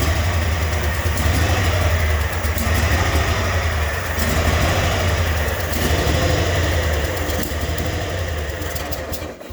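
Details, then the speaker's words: Engine idling just after start with quick, uneven exhaust ticking over low rumble; owner attributes it to a badly leaking head gasket, not confirmed. "I don't know if you can hear that ticking or not, but that's the exhaust. That's that head gasket."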